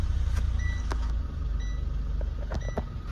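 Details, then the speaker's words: Nissan Exalta with low power: low idle that surges and sags unevenly, the beat never settling, stalling when the accelerator is pressed; fluctuating idle, cause not yet diagnosed, scanner and fuel pump checks planned. "Tapos pag inaapakan yung silinyador namamatay. So pagka nag-idle siya. Oo. Ito yung nangyayari. Yan. Namamatay."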